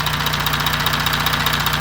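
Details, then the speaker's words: 2016 Audi Q7 4M 3.0 CVMD, about 170,000 km, chains nearly new: fast, even metallic ticking at idle, about ten per second, from the front of the engine; tensioner suspected and due for replacement after engine removal. "но клиенту не нравится стук под моторным отсеком, особенно когда проезжает мимо стены, где-нибудь мимо забора, он отражается и слышно его."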